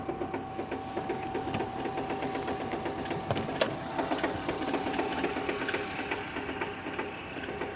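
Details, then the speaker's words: 2006 Renault Scenic 2, K4M 1.6 with automatic, 202,000 km, cold idle: quick light ticking about two per second, sewing-machine clatter, coming from below; expected to fade as it warms with another sound appearing; cause unknown. "Сейчас она прогревается, сейчас этот звук пропадет, появится другой."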